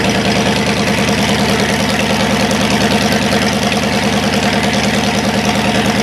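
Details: Cadillac 390 V8 after sitting 8 years, still cold, untuned: steady, even idle with smooth rhythmic pulse, slightly fast, running cleanly. Water pump leaking, carburetor leaking less. Normal cold idle.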